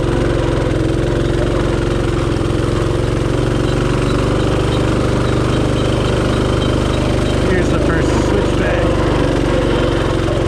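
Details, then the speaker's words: Rokon Trail-Breaker climbing severe slopes on the first switchback, smoke smelled: engine drones at high revs and strains without gaining speed; the clutch belt is slipping under load and the clutch was burnt up. "you can hear the belt slipping straining and slipping that's just the first switchback"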